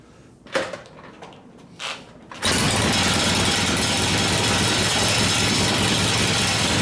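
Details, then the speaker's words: 1972 Harley-Davidson XL Ironhead Sportster bobber after a motor rebuild for wrecked pistons and pinion bushing, kick-started: a loud, ragged, uneven idle through short pipes; idle mixture screw set wrong and not very sensitive, carburettor loose. "sounds like crap though short pipes got anything that screwed up the idle mixture is uh working but not very sensitive"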